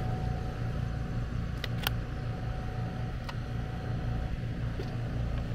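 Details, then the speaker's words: AC condenser running after repair of a mounting screw shorting a high-voltage leg at the disconnect (breaker had been tripping, no cooling). Voltage 239 V, no large drop. Smooth constant hum, soft fan whoosh, no buzzing. Normal running. "check our voltage make sure we don't have a crazy voltage drop going across 239 239 looks good so yeah that's good to go"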